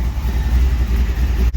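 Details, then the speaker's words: Carbureted V8 in a 1949 Chevy 3100 truck, new engine first runs, idling: deep, steady even rumble, no knocks or ticks, sounds good, runs well; healthy idle. Engine is cold natured, bogs until warmed up; new carburetor may need adjusting. "So we make sure we work out the bugs. What do you think? Sounds good, runs well."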